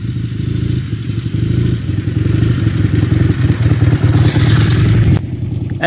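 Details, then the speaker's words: Ironhead Harley-Davidson Sportster V-twin on a field test ride: uneven, stumbling running with irregular pops and spits under throttle, backfiring through the carburetor and needing heavy clutch slipping; cause was slipped ignition timing, not the carburetor. "it was still spitting and popping back through the carburetor I had to really ride the clutch to get it to go anywhere"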